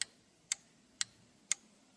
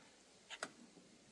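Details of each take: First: John Deere Z425 mower five-pin PTO relay on a relay tester: crisp, even clicks about twice a second as it switches on and off; relay tested good, not the cause of the PTO clutch not engaging. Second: John Deere Z425 zero-turn mower whose PTO blade clutch won't engage; seat sensor tested fine. With power applied directly to the PTO clutch, a couple of sharp single clicks are heard with no engagement hum following. The clutch clicks but won't come on.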